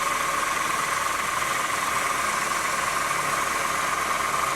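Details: 2008 Honda New Civic, cold start, belt tensioner already replaced twice: constant high whine over a hissy idle that doesn't waver, bell-like bearing noise at low rpm when cold; worn power steering pump bearing.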